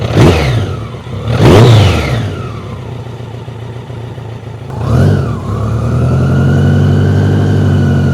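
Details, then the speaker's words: BMW K100 after fuel tank overhaul, restarted with choke off after sitting 15 minutes, earlier rattly on revs with oil level possibly low: two quick throttle blips, then a steady, even idle with a faint whine; now idles smoothly. "Well, it's idling a bit nicer now. So perhaps it's just the fact it's been sat there for a while."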